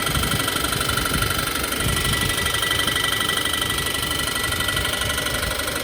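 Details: 2014 Subaru Forester XT, 2.0 turbo FA20, stock, 130,000 miles: fast sharp knock about four per second over engine note, heard only on throttle; no codes, still boosts; spun rod bearing.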